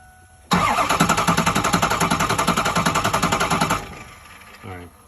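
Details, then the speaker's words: Ford 6.0 Powerstroke diesel truck cranks steadily at about three and a half beats a second but never fires, no injector chatter heard; owner suspects the injector relay in the fuse box, not confirmed. "you don't hear the injectors chattering. The truck will crank, but it will not start. It won't fire over."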